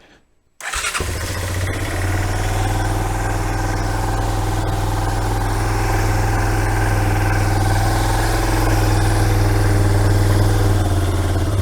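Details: Kawasaki Bayou 220 ATV, bought non-running, with 92-octane 50:1 mix poured into the carburetor: fires up at once, then settles into a steady, even low idle with regular pulses and no stumbling; normal start and idle.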